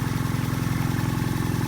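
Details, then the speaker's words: Vintage belt-driven rotary vane vacuum pump for a neon bench, first start on old oil, belt slightly loose: fast, even chugging pulse about twelve a second with wet gurgle over motor; owner unsure if normal, plans warm-up then oil drain and flush. "i've never seen one of these in operation, so i couldn't really tell you if this is normal or not but we'll run it– let it run– warm it up, and then we'll drain out that old oil and flush it."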